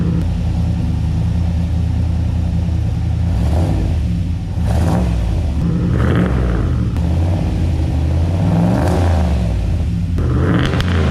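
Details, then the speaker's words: Turbocharged LS-swapped 600 HP Chevy C10 just after a bigger muffler was fitted: deep, smooth rumble with a few clean revs rising and falling, no rasp, rattle or drone. The exhaust sounds healthy and quieter. "We got the muffler done, and I'm gonna set this up here and start this thing up."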